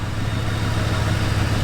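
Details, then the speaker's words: Ford Crown Victoria Police Interceptor V8 at 176,000 miles, after fixing its starting issues: steady, even idle with a smooth low rumble and no knocks. There is a slight exhaust leak down low. "I know there's a little bit of an exhaust leak down low. You can hear it right down here, but if you're up here, the engine sounds glorious."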